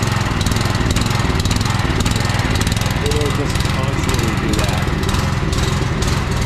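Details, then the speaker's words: Small petrol pressure-washer engine, started on choke at half throttle: fine at higher throttle, but when turned down it chugs unevenly, hunting up and down instead of holding a steady idle; rough idle before the fix. "so right there it sounds fine it's not until like I turn down the"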